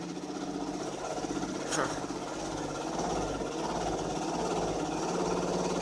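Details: 2005 Dodge Magnum 2.7L, hard start and rough idle, no check engine light or codes, smells hot: uneven, lumpy idle with an irregular beat and a sharp pop; it later stalled blowing white smoke, cause unclear.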